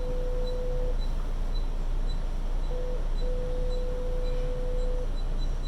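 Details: Subway train at Times Square–42nd St, IRT Seventh Avenue downtown local line, January 2022: steady mid-pitched beep in long stretches with short gaps over the train's low rumble; constant beeping tone, cause unclear.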